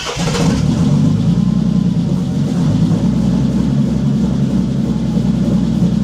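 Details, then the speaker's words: Bentley Continental GT after months sitting abandoned, no oil/brake pressure warnings and many ECU lights: fires up and runs rough, uneven low rumble without clean rhythm, missing on some cylinders; misfire suspected, spark plugs not replaced. "[Music] It's misfires, I bet, but >> new spark plugs or no?"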